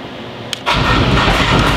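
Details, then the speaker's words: Wrecked salvage Porsche Cayman with a cracked subframe, first start with key in neutral and clutch in: after a sharp crank the engine catches with a rough, harsh roar instead of settling cleanly; cause unclear. "Ooh. What was that? That sounded like the engine, like. That was horrible."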